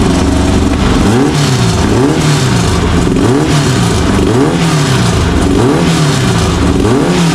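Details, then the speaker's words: Naturally aspirated VW air-cooled engine, about 130 hp, timing set near 28°, in a Baja buggy: crisp rise-and-fall revs, quick blips climbing and dropping cleanly with no miss or rattle; normal free revving. "what's that sound like that sounds like 130 horse baby VW power naturally aspirated"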